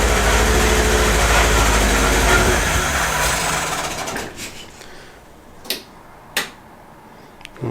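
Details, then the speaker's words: MGB 1800cc engine, just revived after a few years: uneven, lumpy, misfiring beat that fades to a few clicks, though it is getting better and oil pressure is good. Rough running; owner suspects a sticking valve or two. "it might be like sticking vowels and stuff like that just no it's getting better it's getting better now i think we've just had a sticking valve or two"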